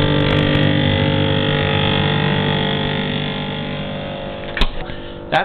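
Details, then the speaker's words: GE frost-free refrigerator freezer evaporator fan blades striking ice buildup, making a loud buzz-saw drone mostly when the fan runs on high; temporarily silenced by raising the temperature setting. "sound of ice buildup hitting the evaporator fan when that happens you get that buzzing sound now in this particular refrigerator it happens s mostly when the fan goes on high"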